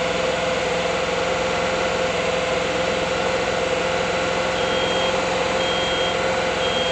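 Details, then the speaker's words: 1979 Volkswagen Bus air-cooled flat-four, freshly rebuilt after failing, first start: steady, even running with constant hum, no knocks or misses; not yet tuned, hydraulic lifters still pumping up; normal running. "Sounds good, right? Running. Didn't even tune it yet. I gotta let the hydraulic lifters build up. Sounds really good."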